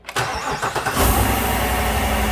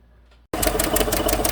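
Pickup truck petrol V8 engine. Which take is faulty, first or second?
second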